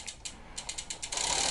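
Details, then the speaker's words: Road bike after rear derailleur install, pedaling and shifting: rapid ticking clicks then continuous hissy scraping, noisy drivetrain; chain routed on wrong side of derailleur rubbing, B-screw first suspected. "it is a little noisy as you can hear but it is shifting so the gears are working and they're shifting through but as you can tell the drivetrain is real noisy"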